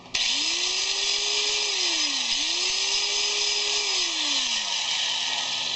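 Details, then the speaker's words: Rebuilt 4 1/2" angle grinder after replacing carbon brushes, first test run: spins up to a steady high whir, smooth even motor tone, no grinding or rattle; runs normally. "that was the problem I don't know why these brushes don't look horrible but it seems to be working"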